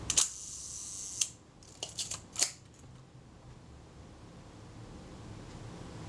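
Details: Kodak Retina Reflex type 025 camera during servicing, film release being adjusted. One crisp click, then a few light mechanical ticks, but the quieter second click of the film release never comes; release needs readjusting.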